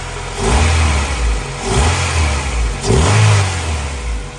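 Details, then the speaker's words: EG Honda Civic with a freshly swapped B18C1 GSR engine, replacing a blown motor after 14 years sitting: crisp four-cylinder revs climbing and falling smoothly with no knocks or rattles, a healthy engine. "that sounds good that sounds great you going to rev it wow it sounds like 1995 don't it"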